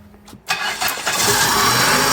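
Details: 1996 Chrysler Voyager 2.4 petrol, reassembled after work on its misfiring and poor acceleration: a brief crank, then it catches cleanly and settles into a steady, even idle without stumbling or coughing.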